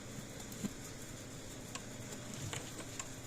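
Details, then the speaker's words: Old PEL 609 electric fencer, just plugged in after repair: soft crisp clicks about once a second, quieter than before, suggesting the transformer was arcing inside; tester then reads about 7,000 V ground to hot. Normal energizer pulse. "ah hear that not as loud which means that transformer probably was arcing inside so this is a good sign"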